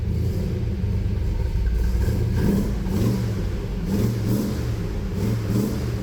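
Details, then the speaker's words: V8 with new carbureted engine that was flooding and making no power, first start after carburetor fuel fix: deep steady rumble, smooth even rises as it revs, no stumbling or bogging; running much better, no longer flooding. "Fundamentally better. You'll have that when it's not completely flooding itself."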